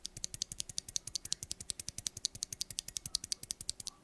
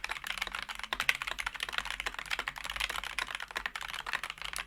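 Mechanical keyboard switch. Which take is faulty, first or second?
first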